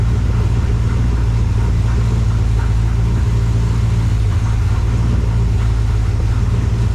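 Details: 1968 AMC Rambler American 401 V8, rebuilt, after tuning and timing adjustment: strong, even low rumble holding steady with no knocks or misses. Healthy and settled.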